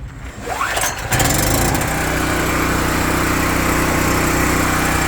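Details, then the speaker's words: Gas generator APU just mounted on a Kenworth W900L truck, first run: it cranks briefly, catches, and settles into a steady, even mid-pitched run with no misses or knocks. Smooth and quieter than a diesel generator, normal. "Running pretty smooth for a first run. Needs zero braking, but pretty quiet compared to a diesel generator."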